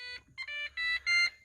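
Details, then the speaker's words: Car mid E38 ECU swap, repinned harness and flex fuel sensor, battery connected, seats removed: on key-on the cluster sounds a high bright chime in short bursts, about four in under two seconds, warning of an airbag fault caused by the missing seats. "Now I will tell you right now, it's gonna freak out because I have no seats in the car, so the airbag fault's gonna go off."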